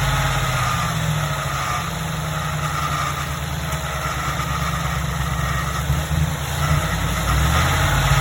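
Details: Ford F-150 at idle: faint high squeal with a constant rough grinding undertone from the engine bay; the cause is unknown.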